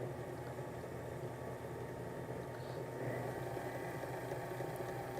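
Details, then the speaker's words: Sewing machine servo motor on a Sailrite Worker B 100-230V power pack, run from an old, roughly 500-watt modified sine wave inverter. A steady hum with a faint electrical buzz, no surging; it still picks up when resistance is applied to the flywheel; normal running. "so actually on this old modified sine wave inverter which this is one from several years ago it works just fine so nice operation still has the the giddy up when you apply uh resistance to the flywheel"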